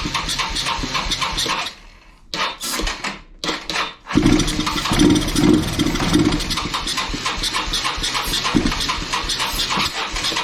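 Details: Kawasaki Bayou 220 ATV, sat eight years, seventh attempt on starting fluid with no fuel tank fitted: cranking, catches, a few seconds of ragged single-cylinder running that fades. Fuel starvation; carburetor cleaning suspected needed.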